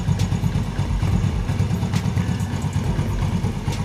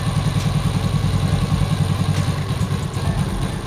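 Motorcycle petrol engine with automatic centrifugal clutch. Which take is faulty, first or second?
second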